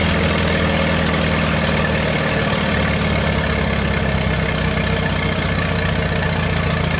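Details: 1928 Farmall Regular four-cylinder after carburetor tweaks, timing advanced about halfway: slow, steady idle with an even low thump and no misses or knocks; normal idle.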